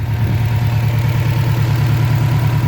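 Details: 2006 Subaru STi: deep lumpy idle pulsing unevenly under heavy low drone, engine shaking; mechanic suspects failed turbo affecting engine.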